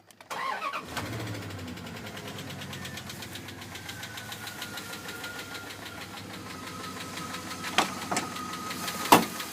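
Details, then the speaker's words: 2001 Dodge Ram 1500 4x4 with just over 234,000 miles cranks, starts and idles with a fast, even engine ticking that increases considerably on acceleration; cause unknown. "so i got this problem with my 01 dodge ram 1500 4x4 it's making a clicking noise in the engine i don't really know what it was"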